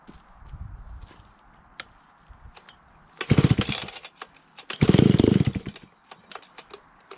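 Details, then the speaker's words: Alpina Pro 120 120cc chainsaw, 25-inch bar, carb kit recently fitted, probably low compression from a worn piston and cylinder, carb adjustment won't stay; several pulls, bursts of revving that keep dying out before it catches; hard starting and unstable idle. "you see it takes a little bit to start the carburetor adjustment doesn't want to seem to stay you have to keep on messing with the carburetor to get it to idle"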